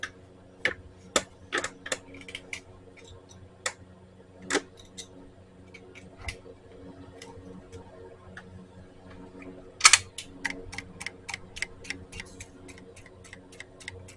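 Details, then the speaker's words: 2003 Honda Metropolitan, battery connected with engine off; bad gas: sharp light clicks, scattered then steadier at two or three a second, as the fuel pump twitches, trying to work; carburetor needs cleaning. "I don't know if you can hear this or not but I'm going to connect the battery and watch the fuel pump twitch it's at least trying"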